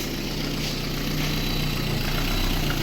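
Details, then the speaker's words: Warm Lada Kalina, about 129,999 km believed original, engine at roughly 55–60 °C, after valve adjustment: steady, even idle with no knocks or misses, lifters quietening; normal warm idle. "все друзі машинку прогрів в принципі все адекватно працює"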